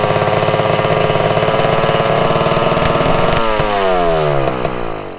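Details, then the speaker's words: 1974 Honda MT250 Elsinore two-stroke at first startup after fitting the correct ignition coil: screams at constant high revs, then sags and winds down to a stop. The throttle was stuck; it ran even with the plug boot off, then finally died. "The throttle was stuck so bad, and even though I pulled the spark plug boot off, the engine was somehow still running. Luckily, the engine finally died."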